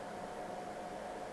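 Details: LYTE gaming PC that reportedly gave no video signal, booting: even rushing fan noise with a thin steady whistle and no ticking, case fans spinning fast and loud at boot; cause not confirmed.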